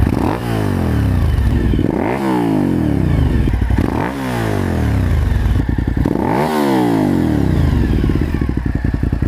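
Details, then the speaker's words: Suzuki SV1000S V-twin just after installing a Danmoto JISU muffler: deep pulse climbing and falling cleanly through several quick blips, crisp and even, no rattles or misses; owner is pleased with the new exhaust. "that's what it sounds like, and you can hear a little bit of it going down the road too. Pretty happy with it, it sounds good."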